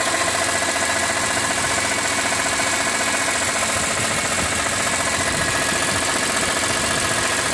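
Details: 2006 BMW E46 M3, 42,600 km, oil temperature above 80°C: steady idle with fairly regular light knock about two per second over engine note; abnormal engine noise, owner wonders if oil pump, cause unknown.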